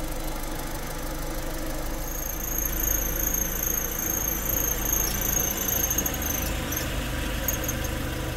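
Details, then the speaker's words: VW Lupo 1.6 warming up after cylinder head and head gasket rebuild for oil contamination: thin, steady high squeal over the idle that cuts out abruptly when the cooling fan switches off; mechanic suspects the fan. "el ventilador está prendiendo y apagando y ese sonido que se escuchaba Pues sera el ventilador y ahorita apagó y dejó de Pues de hacer ese ese chillido que hacía"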